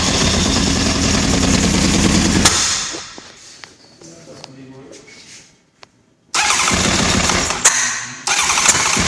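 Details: 1996 Honda CBR900RR: starter churns the engine in long bursts with pauses between tries, but it never catches and runs; crank, no start.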